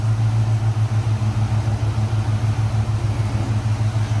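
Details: 2014 Ford Raptor (Gen 1) after the power steering pump was changed, though the pump likely wasn't the fault; wheels turned side to side: steady low idle hum with gentle even pulse, no groan or whine, steering sounds healthy.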